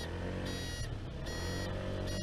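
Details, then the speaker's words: Honda Zoomer scooter idling, recorded from a helmet cam: a shrill on-off beep about every 0.8 seconds. This is the owner-added indicator buzzer working normally. "So as I was constantly looking down to check if I'd put the signals off, I decided to put an audible little noise box in."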